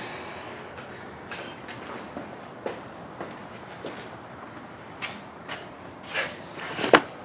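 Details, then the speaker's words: KTM 300 dirt bike with a starter that won't work: with the wires bridged, a few sharp single clicks at irregular intervals and no cranking; the starter solenoid clicks and works, but the starter motor stays dead. "now touch those wires if we make any noise all right we're on the right path hear that clicking means the solenoid's working"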